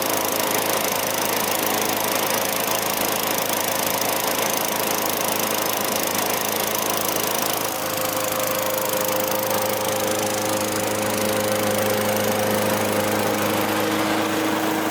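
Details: Vintage Craftsman 21-inch mower with 6.25 hp Tecumseh engine, after service with oil, gas, lube and a fresh air filter: constant, even buzzing drone with no misses, surging or knocks; running cleanly.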